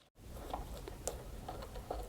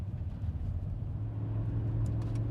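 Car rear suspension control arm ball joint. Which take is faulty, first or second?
first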